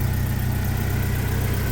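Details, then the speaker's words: Jeep TJ after timing work and bolt install to cure rattles: steady even low idle, smooth pulse, no chain rattle or ticking; quiet and healthy. "And we've pretty much gotten rid of all the rattles. I shall start it."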